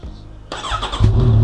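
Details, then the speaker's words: 2017 Kawasaki Ninja 1000, first cold start after an oil change and months of storage on a trickle charger: brief starter whir, then it catches at once into a strong, very high idle while oil circulates; normal cold start. "I like to let the oil circulate and you can hear an audible change in how the bike sou"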